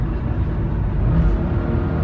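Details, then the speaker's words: 2015 Honda Fit cabin at about 80 on the highway: steady deep droning engine rumble, loud but even with no knocks; noisy but normal engine. "so i'm on the highway now doing 80 and it's bearably the engine is very noisy would you like to listen hold on"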